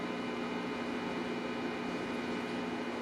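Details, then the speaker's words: Abandoned tube radio from Kutztown (12BA6, 12AV6, 35W4, 50C5), power-up: volume and no hum now, but only steady hiss with faint fixed tones as the dial turns; no stations, with doubled 5 µF filter capacitors suspected. "Well, it looks like nobody's home. I thought I heard a station, but maybe not."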